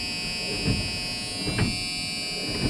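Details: Truck windshield wipers after repair, checked with everything back in place: steady motor hum with a soft, evenly paced thump about once a second at each sweep; wiper motor running normally.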